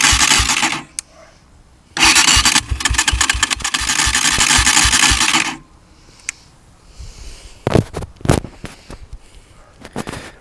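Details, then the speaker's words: Chinese motorcycle engine: harsh rattling knock when starting and again at shutdown. The cause was a gear under the side cover with two chipped teeth. "такой нехороший звук исходит из двигателя сейчас я вам покажу в чем причина данного звука"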